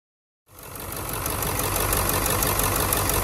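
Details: Ford OBS 7.3 Powerstroke diesel, 150,000 miles: fires up cleanly and settles into an even clatter, about four beats a second, no misses or stumbles; healthy idle.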